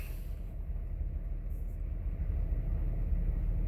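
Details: 2006 Honda Accord 3.0 V6 that failed inspection with cylinder 5 and 6 misfires: low, even rumble at cold idle with no stumbles; all six cylinders fire cleanly and fuel trims are near zero.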